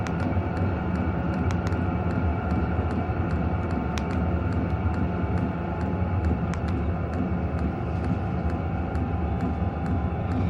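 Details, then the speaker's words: Hcalory 5–8 kW 12 V diesel air heater turned down to a low setting: soft steady fan hum slowing and quieter, faint regular fuel-pump tick about twice a second; running smoothly. "You're getting quieter, fan speed's slowing. The pump is getting really quiet"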